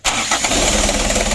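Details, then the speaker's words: Freshly rebuilt 4D34 120 PS diesel (Ragasa) restarted after assembly: cranks and catches almost instantly, settles into a steady even idle with no misses; injection pump judged still good, engine to be run in 4–7 days. "Wah begitu lir ya. Untuk injection pumpnya masih bagus."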